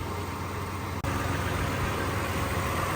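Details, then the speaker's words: 2010+ Toyota FJ Cruiser warming up after replacing the rodent-damaged engine harness, previously struggling and dying: steady, even idle with a smooth low rumble and no misses; no check engine light so far, sounds stronger. "but it idles amazing already so I'm thinking that it's good but we'll see"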